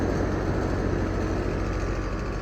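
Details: New 5-ton Rheem condenser with ECM fan motor, after fixing the fan blade and a motor mount set too low: steady low whoosh and even hum with no wobble, rattle or knock; runs smooth.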